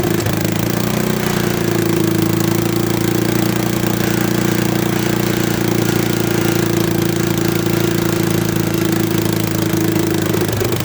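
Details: Late-1960s/early-1970s Bolens tractor single-cylinder engine, sat in a barn about 20 years, started with the faulty ignition bypassed. It runs steady and even at a fast idle with no knocks or misses.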